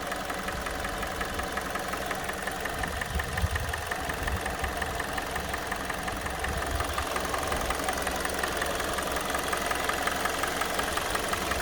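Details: 2016 G4NA 2.0 petrol engine, 100k mileage, warm idle: steady sharp knock about three a second over the run; absent when cold; cause unknown.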